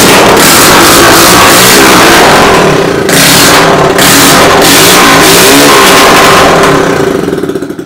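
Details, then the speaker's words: Pulsar motorcycle under self-restoration, the owner's first bike, recovered after 15 years: kick-started with the silencer removed, tank off, running only on the petrol left in the carburettor. Loud, raw, unmuffled exhaust blatting that rises and falls with each throttle blip. "അപ്പോൾ silencer കൂടി silence ഊരിയിട്ട് പൾസറിൻ്റെ silencer sound കേൾക്കാൻ പറ്റും."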